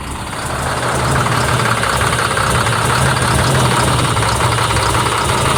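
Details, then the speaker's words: Caterpillar C7 ACERT truck diesel with power loss, cylinder cutout test: uneven lumpy idle; the test points to a faulty number 5 injector causing misfire. "El quinto escuchemos como la falla se ha quitado mal funcionamiento del quinto"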